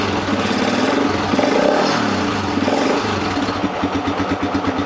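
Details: Lifan Earth Dragon 125 single-cylinder project, hot-wired ignition, first start attempt: revs up cleanly then settles into a steady, even idle with no misfire or knock; normal running.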